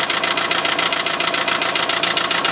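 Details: Renault Trafic van, 2.0 dCi M9R diesel, at idle: crisp, evenly spaced metallic clatter several times a second; owner wonders if an injector is the cause, unconfirmed.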